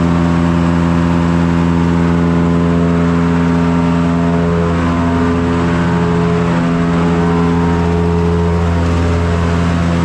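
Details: Forge blower driven by the PTO of a John Deere 2955 tractor, revved up all the way after repairs: steady low drone rising smoothly in pitch, no ticking or rubbing; blower running good.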